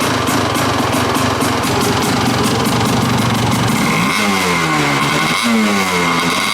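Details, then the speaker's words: Kawasaki KDX200 two-stroke dirt bike after switching pilot jet from 48 to leaner 42: crisp even crackle then clean blips, no gas and oil sprayed from tailpipe; engine finally running right. "so I think that I can say with reasonable confidence that this engine is finally running right it doesn't spray gas and oil out of the tailpipe it idles and it just sounds like it's going to rip"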